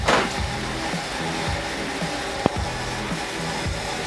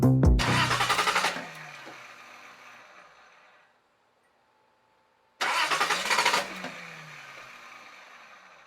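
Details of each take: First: Datsun petrol engine idling on its own after a cracked intake air hose was dealt with: a low, slightly lumpy, slightly uneven pulse; it now stays running where before it would not, though it nearly died. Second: Datsun engine fires twice, stumbles unevenly and dies each time because of vacuum leaks. Cracked, taped hoses were found, including the larger hose into the intake manifold from the turbo inlet pipe.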